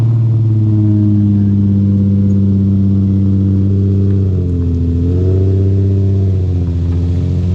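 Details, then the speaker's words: 2007 Nissan 350Z HR (VQ V6) with single cat-back exhaust, oil good, front-end crash damage: cold start into smooth, even idle with steady deep exhaust note, clean rev blip midway that settles back; engine sounds healthy. "Oil's good. Hear the cold start."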